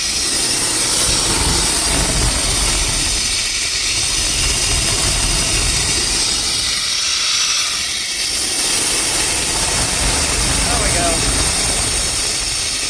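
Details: Chevrolet Silverado 350/305 throttle-body V8 with rough idle, random misfires, hesitation and backfiring: loud steady hiss over an uneven idle; a brake-clean test pointed to a vacuum leak, likely needing intake and/or throttle-body gaskets.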